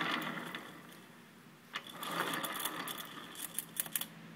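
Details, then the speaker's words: Suzuki Burgman 650 with clutch removed, rear wheel propped up and spun: irregular light metallic clinks and rattles over a soft whirr from something loose inside the crankcase, cause unknown. "so if you listen to it carefully there's there's something rattling around in there and i don't know exactly what it"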